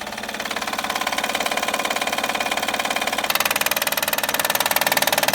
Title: 2011 Honda Accord 3.5l loud knocking noise easy fix by replacing Timing bel tensioner